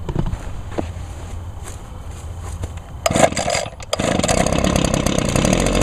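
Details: 2009 Echo PB 251 blower started on choke with primer, low on fuel: after a few sputtering pulls it catches and settles into a steady, buzzy two-stroke drone with no misses. It runs normally, as well as six years ago.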